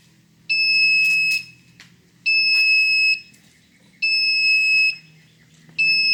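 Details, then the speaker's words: Haswing Protruar 1.0 brushless 12V 65lb-thrust trolling motor modified for a wired remote: long steady high beeps repeating about every 1.5 seconds, the alarm when the remote throttle pot isn't zeroed/centered; three beeps indicate centered. "now what I'm going to demonstrate is when the pot isn't zeroed out for your motor you're going to get the alarm beep saying that it's not centered just so you know what it will sound like and you know you have to dial in your pot better"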